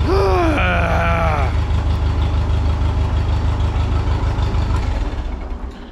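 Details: 1951 Ferguson TO-30 tractor at idle throttle with a jumper wire giving 12 volts to the coil positive side: catches almost straight away, settling into a steady low thump about three beats a second; clean quick start.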